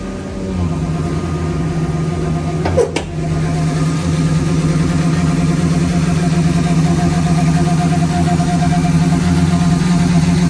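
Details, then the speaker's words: 2003 Ford F-150 5.4 L V8 at idle: low, steady owl-like hooting hum wavering over the idle, from a failing idle air control valve; truck also stalls at stoplights, before IAC replacement. "It's been making that hooting owl noise for quite a while, but the truck just kept running, so I kind of just ignored it for a while."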